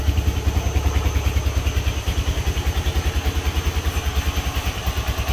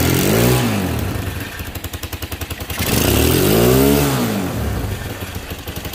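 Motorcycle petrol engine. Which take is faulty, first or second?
second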